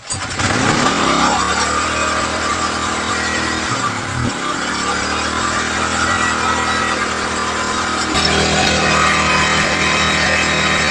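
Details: Small gasoline generator engine after repair of a no-start problem, carburetor worked on and reassembled: fires up and settles into a steady, even buzz with no misses or knocks; runs fine.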